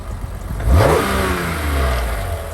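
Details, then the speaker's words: BMW E46 M3, possibly K&N filter (unconfirmed): clean, crisp free-rev blip rising quickly and falling smoothly back to steady idle, no knocks or rattles; owner says she sounds nice; normal healthy free revving. "Woo, listen to that. I'm loving it. She sounds nice, man."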